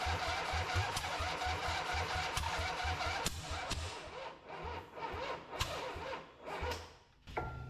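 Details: Harley V-twin in an off-road trike build, just rebuilt, with choke and a little fuel after compression was restored. Even cranking pulses give way to ragged firing bursts, then it keeps running on its own. The ignition timing needed significant adjustment; normal start and run.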